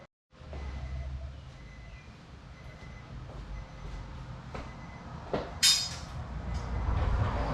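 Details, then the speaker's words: Project Z car's first startup after the build: a deep, raw, constant roar that grows louder, with a sharp crack near the end; no exhaust system fitted yet, power steering not reconnected. "oh well hey it started that's all that matters so now that i know that it runs"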